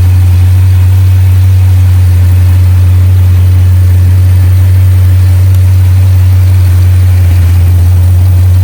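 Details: Jeep Grand Cherokee SRT V8 with check engine light and code P0306 (cylinder 6 misfire): deep steady idle hum with a slight uneven lope. Suspected coil pack or spark plug; the coil pack tests valid but may give weak spark.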